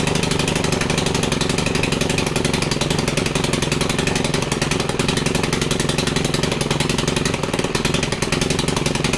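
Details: Stihl FC110 that had little to no compression, run after the valves were adjusted; oil had been put in the cylinder, so the plug may foul. At full throttle it gives a strong, even buzz with no misses, and compression is now much better.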